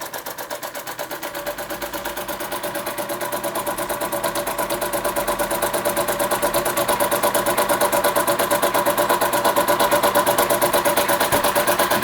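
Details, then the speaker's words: Restored Empco B-43 model steam engine finally running under its own steam after full restoration, regulator screw working: crisp, even chuffing about three beats a second, smooth and regular without knock; running properly. "the MCO v-43 finally running after all this time yeah I want police for that"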